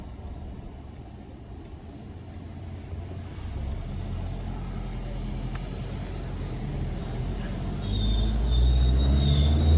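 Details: Isuzu at 200k, all fluids and engine oil changed at Isuzu dealer Udon Thani 31 July: thin steady high-pitched squeal/howl from front wheel over road noise while driving, lessens when braking; owner suspects dealer service error, cause unconfirmed.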